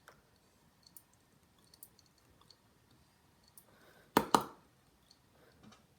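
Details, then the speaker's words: Western Digital Scorpio Blue 100 GB laptop SATA hard drive at power-up: faint, sharp clicks roughly once a second, never spins up properly; drive is not working. "see if this one Powers up not sure if you guys can hear it this one is clicking"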